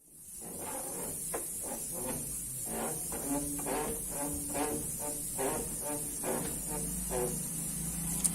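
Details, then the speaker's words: Washing machine not running, tub rocked by hand: rhythmic creaking squeals about once a second from the tub rubbing the suspension dampers for lack of lubrication or grease; dry tub suspension damper squeak. "ese ruido proviene del roce entre la tina y los amortiguadores es falta de lubricación o engrase en esta parte"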